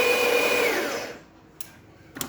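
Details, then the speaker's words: Older-style DeLonghi Magnifica after full service (customer had replaced flow meter, generator, water pump), grinder at fineness 3, single espresso shot: loud, even high-pitched grind winding down smoothly, then clicks; normal for older machines. "It's going to grind a little bit. Grinder's a little bit loud, but it's normal for these older machines."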